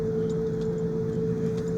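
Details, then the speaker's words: Worn wheel bearing heard while driving a truck not yet warmed up at 26 degrees on icy roads; steady droning hum with mid-pitched whine over low road rumble. "I'm freezing. Truck ain't hot yet. You can hear that wheel bearing going nuts."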